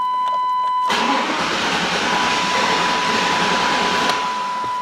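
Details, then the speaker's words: 1999 Chevy Tahoe with flickering lights, gauges and dead accessories: steady starter whir with chime, cranks but never catches; crank no start caused by ground-side voltage drop from a bad engine ground. "So we have lots of functions that don't work, including the car won't start. It'll crank, but it will not start."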